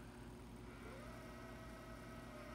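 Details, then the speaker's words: Sony EV-S700U digital video cassette recorder rewinding a tape: faint motor whir climbs, then settles into a steady, even spin with no scraping, so rewind works normally. The unit's fault is on eject, where tape has been left sticking out. "You can fast forward through it. That will work. You can press stop. You can rewind"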